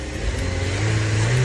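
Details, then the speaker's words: Car that shook after starting for two months, after camshaft solenoid valve repair, started in P: engine fires and revs smoothly with no shake or stumble; problem solved, running healthy. "the power of the car is very strong let's go to the front and take a look did you see it the engine doesn't shake at all the problem has been solved"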